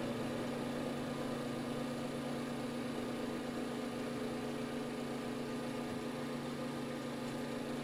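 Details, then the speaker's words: Two NOEVSBIG solder fume extractor fans running side by side on lowest speed: steady low hum with a faint rough purr from one, and one vibrates more on low than the other; likely a dry bearing. "that one is kind of making the purse sound curiously this one vibrates more on lowest speed than this [Music] one"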